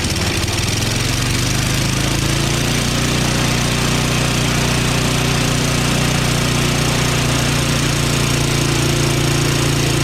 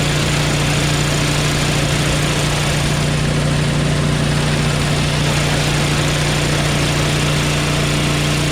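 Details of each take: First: Craftsman 5.5HP 24-inch dual-stage snowblower after retightening the head bolts: chugs weak and uneven for about twelve seconds, then sags and dies, and stalls under auger load. Low compression suspected; the magneto is not suspected. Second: Craftsman 5.5HP 24-inch dual-stage snowblower after the head and valve repair: a steady, even idle with a firm low hum and no stumbling. It no longer stalls and is more powerful than before; normal idle.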